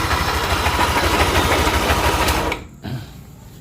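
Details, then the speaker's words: 2020s Yamaha NMAX run without the pulley, noise from front cylinder head area: fast rough scraping rattle about three per second until shut-off; suspected camshaft bearing, rocker or valve. "ya terdengar ya suaranya srek srek srekkrek"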